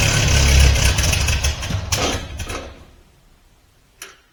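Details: 1950 Ford 8N tractor's first start in 10+ years after extensive work, factory 6-volt setup removed and a part replaced just before; engine catches and settles into a low, even chuff, no knocks, running properly; heavy smoke blamed on Marvel Mystery Oil soak loosening carbon.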